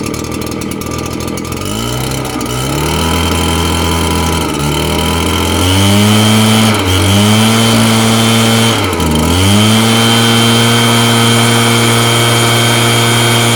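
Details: Redmax 7500/8500 blower after installing a new fan (old fan loose or bolt holes worn, vibrating and noisy; not piston or motor): clean, steady two-stroke note climbing and dropping smoothly with throttle blips, no rattle or scrape; running fine.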